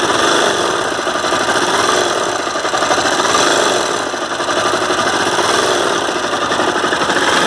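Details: Honda CBR 250R, problem ongoing for a month: fast harsh rattly clatter about four beats a second over a steady running engine; service center claims a crankshaft fault needing engine replacement, owner doubts it; cause unconfirmed.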